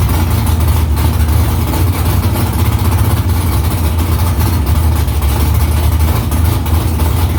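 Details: V8 on first start after about three weeks installing headers and refitting exhaust under the car. Deep, steady, loud rumble with even firing and no knocks or misses; louder under the seat with exhaust vibration there. Smoke is drying header silicone. Healthy idle.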